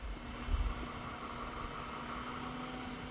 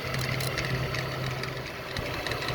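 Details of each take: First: 2010 Ford BF Falcon wagon idling after replacing the water pump; oil pressure sender leak fixed. Low quiet whirring hum, no squeal, chirp or rattle from the belt pulleys. Normal idle. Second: 2010 Ford BF Falcon wagon at idle with a leaking water pump. Mystery belt-drive noise, checked with a screwdriver against the idler pulley. Even idle with a faint steady whir. Owner suspects idler or tensioner pulley bearing. Idler pulley bearing noise.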